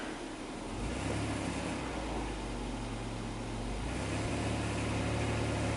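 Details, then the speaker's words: 2005 Dodge Grand Caravan, 3.8 V6 pushrod engine with waste-spark coils, in drive under load after a hot soak: rough drone with uneven low thumps; misfire worst on cylinder 5, also cylinder 1, from a cracked plug insulator. "Looks like number 5 is counting up the most. You can feel it. Boom."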